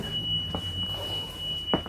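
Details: 2006 Thomas C2 conventional school bus on a -20° windy morning: a steady high alarm tone near 3 kHz sounds nonstop in a quiet cab, the Vandalock anti-vandal system blocking the start; a faulty door contact switch or pin is suspected.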